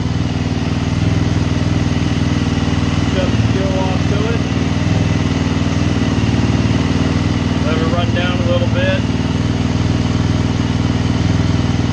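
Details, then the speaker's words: Suzuki LTZ 400 ATV after a tune-up, in the shop and not under load: a steady, even single-cylinder idle thump with no misses or knocks, sounding healthy. "of course like everything else it sounds sounds good sitting here in the shop"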